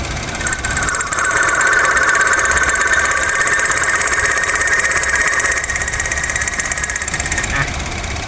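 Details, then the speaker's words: Honda Jazz GK idling with AC on, mic moved toward AC compressor clutch front: steady high whirring ring grows louder nearer the clutch; mechanic suspects compressor clutch bearing, plans to replace clutch. Unconfirmed. "นี้มีว่าจะเป็นที่ตัวคอมหรือว่าเป็นที่ลูกปืนหน้าคลัชนะครับผมเดี๋ยวแสนตเขยิบใกล้ๆมาที่หน้าคลัทช์พอเขยิบมาใกล้หน้าคลัทช์เสียงก็จะดังขึ้นเรื่อยๆครับผม"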